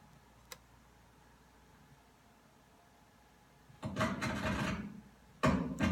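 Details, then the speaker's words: Headset or over-ear microphone connected to a wireless pack: quiet at first, then harsh crackling bursts each time the boom is tapped; a faulty end cap on the microphone, so the microphone needs replacing. "we can tap along the microphone itself and see if we hear any noise or crackling this particular microphone has a problem at the end cap"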